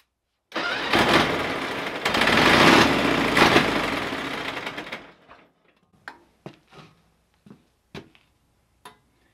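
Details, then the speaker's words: Pony motor of a 1950s Caterpillar 955 Traxcavator, freshly fueled and oiled: about four seconds of rough, uneven cranking with no firing, then clicks; it won't start because the fuel valve is shut. "it might help if i turn the gas on"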